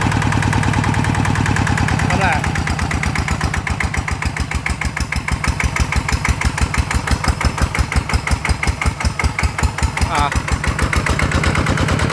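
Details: Single-cylinder ET diesel (ET95/ET110 pair) test-run after refit for water pumping: steady even chug at about six beats a second, no knocks or misses; runs acceptably, though non-DI engines pull less at low rpm.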